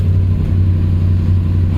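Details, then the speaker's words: 2007 Dodge Ram 4.7L V8 setting P0507 (idle higher than expected), stone cold just after start, throttle position reading 0%: steady deep hum at a raised idle that never settles, from a suspected vacuum leak. "So I'm trying to see how high this thing will actually idle. I just started it. Like, it's stone cold."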